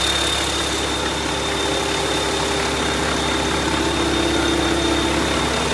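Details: YaMZ-650 diesel on a test bench, in for repair after an overhaul done elsewhere: a constant, smooth drone at steady speed with an even beat and no knocking or rattles; normal running.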